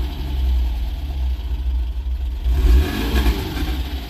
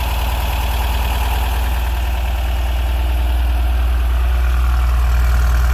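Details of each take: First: Porsche 914 idling about 800 rpm. A quick, clean, zippy rev drops back smoothly to idle; crisp throttle response, normal free revving. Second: Porsche 914 on a hot late-July day, started after a wire and hose were relocated. Steady, even low rumble at a brisk idle with no stumble; idling a little fast, and the timing is to be checked.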